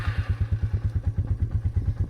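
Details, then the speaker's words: Single-cylinder Suzuki idling after starting trouble; thumping about nine to ten times a second with a dull clatter on each beat, owner plans fuel treatment to see if it helps. Light engine knock, cause unclear. "i don't know if you can hear it's kind of knocking a little bit so uh we'll run some fuel treatment in and see if that helps"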